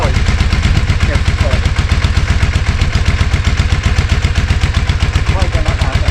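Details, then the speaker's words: Yamaha Virago 535, about 34 years old and last run in 2003, idling after throttle cable moved off the high setting; steady even low thumping about four beats a second, no stumbling: normal idle. "Sounds all right now. Yeah, sounds a lot better now."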